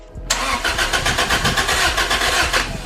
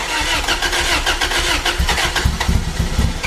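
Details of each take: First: Toyota MR2 just fitted with a Garrett turbo, new injectors and spark plugs: starter cranks evenly and fairly quickly for about two seconds but never fires; ECU shows a communication error, suspected cause of no start. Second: Toyota MR2 with new Garrett turbo, starting on the OEM ECU to rule out a faulty Power FC: cranks, catches and settles into a steady rumbling idle with no stumble or misfire; runs normally, Power FC issue still unresolved.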